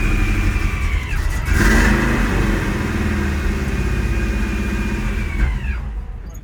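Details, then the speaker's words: 1965 El Camino revived after years sitting, started with starter fluid: a piercing, steady shriek over the rough engine for about four seconds, then drops in pitch and fades; source unknown, owner wonders about timing or distributor. "I don't fucking know. It's the weirdest sound ever, right? Sounds like a ghost screaming. Yeah, it's almost worse than nails on a chalk."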